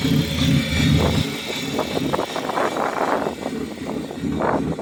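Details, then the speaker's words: BMW E36 after a full engine swap from M42 to M50, first start after months of work. It fires, settles, then revs in short bursts, sounding gnarly; normal running. "Sounds gnarly right now. Yeah, she sounds like she's fucking tan."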